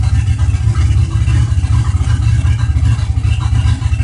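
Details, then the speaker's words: GN engine at idle: loud, choppy, uneven low pulses with a stumbling rhythm instead of a smooth beat; the engine is idling rough and the cause is not yet found. "Okay, so now it's idling rough. You can see where it's at on the pack. It's not right."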